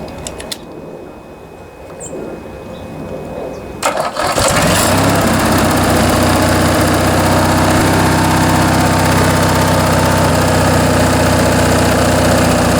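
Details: Briggs & Stratton 19.5 hp opposed twin from Craftsman riding mower, sat long, tampered, stripped main jet removed and carburetor rebuilt, bench test: after a few quiet seconds it catches and settles into steady, even running with no misses or knocks; healthy idle.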